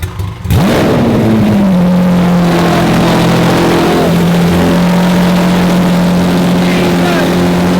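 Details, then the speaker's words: Wrecked Lamborghini SVJ V12 being rebuilt, running with no exhaust fitted and lambda sensors disconnected: cranks, catches, extremely loud fierce even drone that won't rise; rev limited by the missing lambda sensors. "So, it won't let us rev it because of the no lambber sensor issues."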